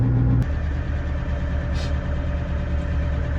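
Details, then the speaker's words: GAZ-66 truck after winter storage and air tank repair, idling a couple of minutes with air pressure at 6.5 bar blow-off: steady even diesel idle, low regular thrum, no misses, knocks or air hiss; normal idle. "So, idling away. It's up to 6 and 1/2 bar, which is where it's blowoff pressure is."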